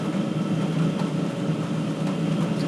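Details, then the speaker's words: All-in-one 12V/24V/240V diesel heater, freshly lit and running at full power, drawing 40 W, about the same as other 4 kW heaters; rain audible. Even fan rush, steady low hum and faint ticking pump; running normally. "40 watts which is about the same as every other four kilowatt here pulls uh when it's running normally"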